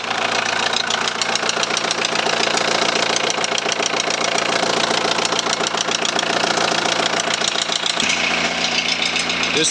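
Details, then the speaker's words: 2001 VW Transporter T4 1.9 TD diesel idling with a sharp, regular knock about three or four times a second over the clatter. A dropped valve was first suspected; teardown found big-end bearing surfaces almost gone on clean crank journals: rod knock. "the big end journals are pretty good very very clean actually um considering that bearing surface is almost gone on the big ends themselves"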